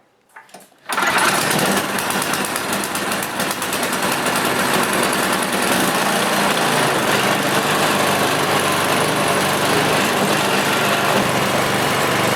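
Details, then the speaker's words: Ariens snowblower after tightening the drive-belt arm lock nut so the belt stops coming off the pulleys: small single-cylinder engine catches and runs steadily with no belt slipping or flapping. Normal running. "and as you can see now that belt will not come off that should fix"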